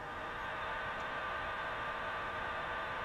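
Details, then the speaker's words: 1937–38 Emerson R167 tube radio, not recapped, resistors unchecked, powered up slowly on a variac with low B+ voltage: constant loud hiss and crackle, no clean station. Noisy distorted audio. "it's making some racket that's better than what we had before we started again the radio has not been recapped"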